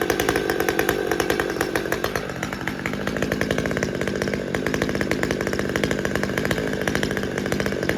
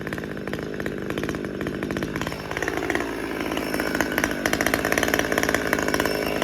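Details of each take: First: Husqvarna T540xp Mark III chainsaw, about 6 months old, after fuel filter replacement: fast, even two-stroke putter idling steadily for over a minute without stumbling or dying; normal idle, shutoff problem cured. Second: Husqvarna T540xp Mark III chainsaw, about 6 months old with performance work, warmed up: idle hunts, surging up and sagging without settling while auto-tune works hard, then shuts off; lean idle.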